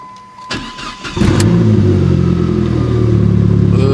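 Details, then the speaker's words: 2004 Dodge Neon SRT-4, manual, after repairs: starter cranks briefly, engine catches and settles into steady, even idle with no knocks or misses; fuel trims fine, boost slightly low; healthy. "sounds good fuel trims all right 14.7 boost is low"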